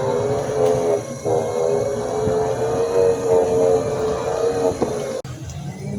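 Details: New mobility scooter, about one month old, makes a wavering mid-pitched whine with a rough gritty edge while moving; grinding noise while driving.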